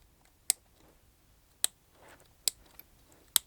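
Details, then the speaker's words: Kyosho MP9 RC buggy receiver power switch, waterproof top removed, exposed to water; sharp crisp clicks as switch is flicked by hand; very stiff with bad connection from dirty contacts, to be cleaned with switch cleaner lubricant. "that is very, very bad connection. It's very stiff, and the connection is just bad."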